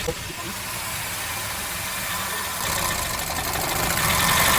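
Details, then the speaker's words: Hyundai Accent petrol engine, shaking at idle with a bad misfire (cylinder 4 later found bad); a good cylinder's ignition coil is unplugged. Idle steady, then louder and more uneven as the misfire worsens, showing that cylinder works. "And you see how the engine got worse, right? That's how you know that cylinder is working."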